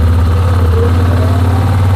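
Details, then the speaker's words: 2007 Yamaha Rhino 660, warm, choke pulled partly on: loud, even drone well above normal idle, revs high enough to engage the clutch, so the engine had to be stopped to change gear; high idle from partly open choke. "my dad was mentioning that this thing he was driving it all weekend, and you didn't have to touch the gas in most places because it was it was engaged, and you have to stop it to throw it in any gear, like a different gear."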